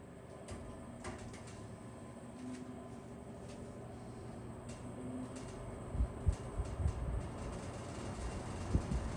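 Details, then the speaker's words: Box fan on low: low fan hum with soft uneven creaks and ticks roughly three a second as the grille flexes in its side supports; rattling fan grille. "You can hear it's creaky. It's like an old man. It's like how I sound when I get out of bed. Yeah, you can hear that. It's really that grill that's moving around."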